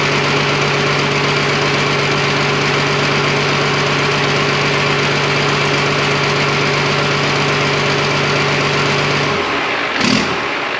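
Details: Freshly rebuilt twin-turbo Fummins diesel on first start, injection pump timing just set, no coolant, fuel leak present: loud, rapid, even clatter at steady idle, no missing beats or heavy knock, then shuts down; healthy running.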